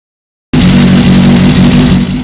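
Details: Running engine with some revving and a busy metallic rattle on top, coming from next to the sprocket. Owner suspects bearing failure, unconfirmed.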